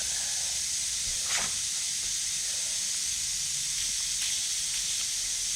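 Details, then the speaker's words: 1969 Nova heater core removed for coolant leak, pressure tested at about 20 psi with no engine running: steady sharp air hiss as pressure escapes; heater core leak, possibly at back side seam. "it is looking like it could be leaking down in here yep we're gonna do a pressure test and we'll see what happens"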